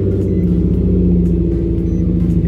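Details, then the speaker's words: Nissan 350Z V6 with check engine light on and rpm going up and down, freshly started at idle: deep, slightly lumpy exhaust rumble, distorted sound in the resonators; engine misfire, owner suspects blown spark plugs. "misfires a bleep misfire from how the sound you have like the distorted sound in the back of the resonators so I definitely could tell it is a misfire"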